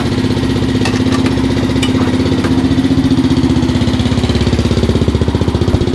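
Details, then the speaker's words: 2005 Suzuki LTZ 400 single after a failed valve guide job by another shop: fast idle thump with a dry, loud ticking up at the head on the guide side; valve train clatter from zero valve clearance, clearances and shims to be rechecked. "it sounds a little noisy up top on this side where that uh valve guys feel with our valve guide you put in it so let's go ahead and grab something to check it out see what it sounds like"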